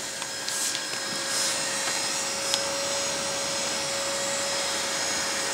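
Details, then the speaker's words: Very old desktop PC with CD/DVD drive, before cleaning, while the system loads; loud steady rushing roar with constant whine and no speed change, so much dust inside that the air blows back out; dust-clogged cooling fan straining. "y a tellement de poussière en fait l'air ressort"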